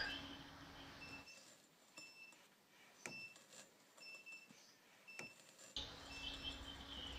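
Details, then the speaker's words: Treadmill speed sensor reed switch tested with the treadmill unplugged, leads pulled from the board to a multimeter on continuity. Turning the drive belt or motor wheel by hand gives short high beeps about once a second, fairly consistent, as the switch closes each turn. "when I turn the drive belt uh or the motor wheel with my hand you can hear a"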